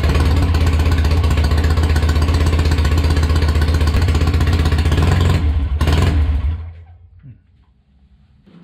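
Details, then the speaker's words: Restored 650 Triumph twin on temporary exhausts, auxiliary fuel tank and temporary wiring, re-run after retorquing cylinder base nuts and head bolts and rechecking tappet clearances: even, deep beat holding steady with no knocks or rattles before shutdown; carburation sounds close, healthy running. "T went well everything is sounding pretty good and uh collaboration wise it actually doesn't sound that far off does it no it sounds to be pretty good pretty all right"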